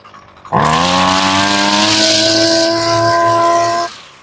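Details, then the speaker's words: Husqvarna string trimmer two-stroke just fitted with a replacement carburetor, started on full choke after sitting long: catches and holds a high buzzing rev without settling to idle; mixture screws need tuning. "Sounds like she needs a little bit of a tuneup."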